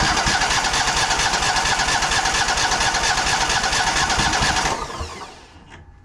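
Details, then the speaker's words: Exmark 52" Pioneer S zero-turn mower (PNS720KC523), Kohler KT720 twin: fast even cranking for about five seconds that never catches while testing one side; one cylinder not firing, traced to a failing ignition coil. "so I do think this is still the same issue that I'm thinking it is"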